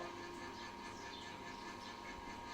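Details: Stainless 304 XT4 sugarcane juicer, 800 W with 12 bearings, unused for about a year and checked after bearing lubrication: quiet, even running hum with no knocking, grinding or roller squeal; runs smoothly.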